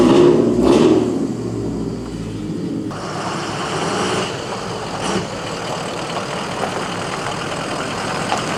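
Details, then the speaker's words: Lexus LS400 with aftermarket headers and exhaust: harsh, raspy, droning idle with a loud rumble, far louder than stock. "pposedly obnoxiously loud right now so yeah we're gonna see how [ __ ] loud it is"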